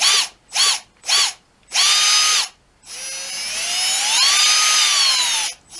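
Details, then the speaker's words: Red Cat 550 brushed RC motor from a Gen 8, previously squealing, after cleaning and fresh lubrication of motor ends: short throttle blips then longer run, clean whine rising and falling with speed, no squeal; healthy. "times sounds healthy and ready to run"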